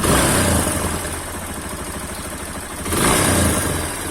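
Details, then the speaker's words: Yamaha XTZ Lander 250 after a general overhaul that removed an engine noise blamed on a worn clip in the camshaft: quick, even single-cylinder beat with light ticking and a brief rev settling cleanly. This is the normal Yamaha idle. "pronto ficou barulho característico dos motores da yamaha isso"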